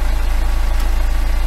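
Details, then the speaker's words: BMW N47 diesel idling after new timing chain installed the day before: smooth, steady low beat with no chain rattle or slap; normal idle after repair. "it sounds better already"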